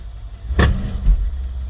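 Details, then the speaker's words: Mercedes SUV (R/ML/GL class, 2006–2016) at 139,000 miles, in drive at standstill with throttle applied: a low drone broken by sharp clunks as the transfer case chain skips. The engine also lifts, so it needs a motor mount. "like skipping and actually this car also needs motor mount because i feel the engine uh lifting but that noise is the the issue that the customer is complaining about"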